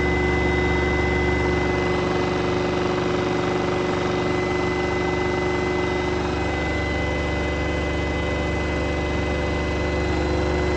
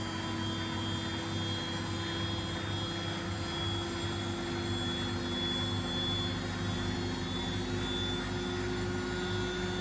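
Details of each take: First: in this case there is a large vibration when using the cuge and allow noise in most cases it is necessary to replace the shock absorbers of the washing machine Second: Washing machine after replacing its shock absorbers: steady, even spin-cycle drone with a low hum and a constant whine, free of the earlier vibration, shaking and noise.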